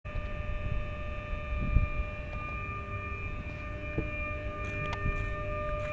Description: 500kV HVDC Smoothing Reactor Humming Sound recorded which is different than AC side converter transformer present in the AC side of HVDC system.